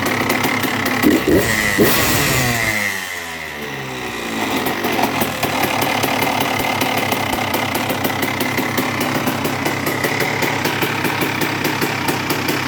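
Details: 2002 Honda CR125R two-stroke with new OEM top end, Wiseco crank, worn transmission gears found: starts, revs, fast idle with low rough gravelly growl; bottom-end growl persists, bad main bearings or clutch basket suspected, crank and mains next.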